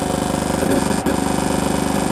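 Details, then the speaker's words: Car speakers while driving with nothing playing and volume up: harsh, rapidly pulsing buzz pours steadily from the speakers; it happens only some of the time, cause unknown; intermittent speaker noise. "that's my speakers in the car even when nothing's playing you probably can't see me right now because again I'm driving but that's the speakers in my car even when nothing's playing if the volume is up it'll do that but not all the time"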